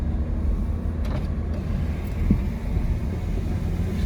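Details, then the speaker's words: Normal rear suspension on a Saturn Vue 2.2 on a test drive after fitting a rear rubber spring isolator: only low, even road rumble with no slapping or clunking; the earlier rear noise is gone. "But that noise coming from the rear before seems to have gone away. So that rubber isolator must have fixed it."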